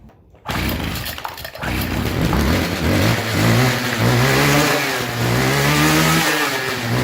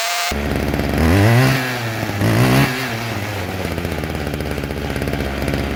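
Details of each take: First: Old two-stroke weed trimmer that wasn't drawing fuel through its line: it runs but won't settle, revs hunting unevenly as if fuel-starved. Owner suspects a dirty or bad carburetor diaphragm, which was then replaced. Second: String trimmer after carburetor cleaning, new fuel lines and a new diaphragm: two-stroke buzz revs up twice, then settles into a steady, even idle; normal running after the fix.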